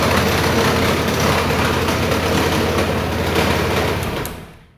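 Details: Honda Vario 150 Smart Key after repair of the poorly connected starter-button wire to SCU pin 6; small single idles evenly and steadily for about four seconds, then dies away cleanly at switch-off, sounding healthy.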